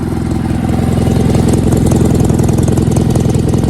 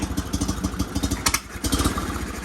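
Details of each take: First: Sears GT 19.9 garden tractor running after sitting 2 years, fitted with mufflers larger than the GT 18's: strong, even low thump that picks up cleanly with throttle, sounding more torquey; normal running. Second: Sears GT 19.9 garden tractor, big-block engine, first start after sitting about 2 years; uneven idle with irregular chuffs and a brief falter before picking up, rough running.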